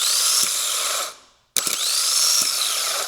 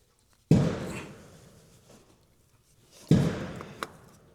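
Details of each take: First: Starter from a 2008 Suzuki XL7 with 190,000+ miles that would not start, bench-tested off the car: two harsh, loud, rough high-pitched whining spins; worn bushings or bearings, it was only clicking against the ring gear. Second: 2008 Suzuki XL7, 190,000+ miles, no-start from a dead starter: new replacement starter bench-tested off the car. Two dull thumps, then a high, even whirring spin that holds steady with no grinding or clicking, so the starter spins freely, unlike the rough, loud old unit.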